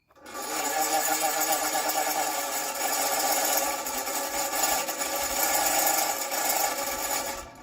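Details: Circa 1960s–70s Superior Electric Model 808 all-metal desk fan, no speed control or oscillator, rusty, before oiling and cleaning: motor runs with a buzzy, rattly whir that swells and fades slightly, rough and noisy like dry bearings; cause suspected, not confirmed.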